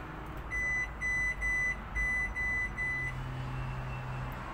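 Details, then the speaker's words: Hisense washing machine on a spin cycle with the drum not rotating: about six short, steady high beeps in a quiet room as it throws the F06 motor-related error. "so the drum isn't rotating so we'll open the behind let's see if the water is rotating and the belt is intact and then immediately it gives us that f06 error so f06 is amount related error"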